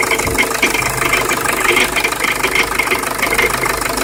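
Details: Jeep Liberty CRD diesel at idle: uneven metallic rattle with a gritty grinding edge on top; rattle and grind of unknown origin the owner is trying to identify.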